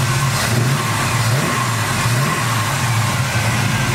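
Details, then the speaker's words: Nova 350 V8 with Vortec heads, LS6 springs and Comp 280 Magnum cam (.480 lift) after cam swap, idling and drive-bys: deep, lumpy, choppy lope staying even and strong; healthy big-cam small-block running cleanly. "here's a couple video clips for you me doing a couple drive-bys for you today to see what it sounds like and showing it idling"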